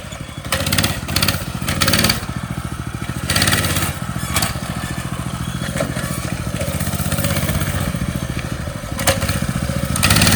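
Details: Motovox mini bike small single, riding after the worn centrifugal clutch was fixed, the exhaust guard removed and the chain lubed: buzzing revs rising and falling in pulses, no grinding or vibration from the clutch; running normally.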